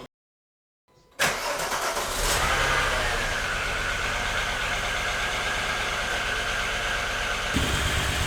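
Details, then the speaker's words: VW Golf Mk3 VR6 Syncro before repair: catches and settles into an uneven, stumbling, lumpy idle; steady misfire, one cylinder likely dead, owner suspects a stuck fuel injector, probably cylinder 4. "En tiedä, kuulitteko te sitä, että kuinka huonosti se käy. Siellä on nyt yksi sylinteri luultavasti pois pelistä ja minä luulen, että suutin on jumissa."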